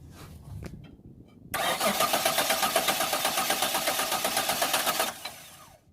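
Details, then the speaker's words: 2003 Kia Sorento with a no-start, starter jumped with metal to bypass the solenoid: steady, high whirring starter spin for about three and a half seconds with no firing; the motor turns, so the starter solenoid is faulty and the whole starter gets replaced. "As you guys can hear, the starter is turning, but the solenoid is not doing its job, so it's not starting when we put the key on."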